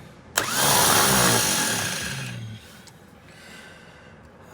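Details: 1954 Chevrolet, no-start: a high, free whir spins up for two seconds and fades with no cranking beat. The starter spins but the Bendix isn't engaging.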